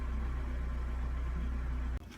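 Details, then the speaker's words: 2015 Hyundai Santa Fe after the fuse was replaced with the correct 10 A fuse: starts quickly and holds a steady, even, smooth idle with no misses or knocks; normal idle. "so let me read the fourth code again and it's only the lane communication and now everything is running perfectly"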